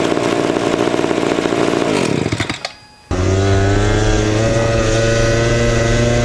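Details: 1970s ARCO 3533 mini bike, first ride after a budget get-it-running fix including a leaking fuel tank grommet: a loud, raspy, high-pitched two-stroke buzz fades, goes briefly quiet, then screams back, wound out at about 10,000 rpm for roughly 5 mph.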